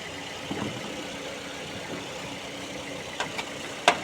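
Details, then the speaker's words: Engine at idle after running a few minutes, bonnet being closed: the first start was very loud, but now a quiet, steady, smooth idle with a soft even hum and a few stray clicks, barely audible from 1 metre away; the engine bay is dry. "Sekarang sudah lumayan smooth, dan ini ketika saya tutup, saya agak menjauh 1 meter, kayak mesin belum nyala."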